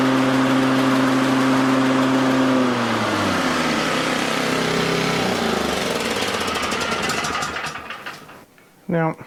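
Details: Toro/Exmark 30-inch mower that had blades with little or no power: a steady, even engine drone, then the pitch drops evenly as it winds down and stops. Normal running.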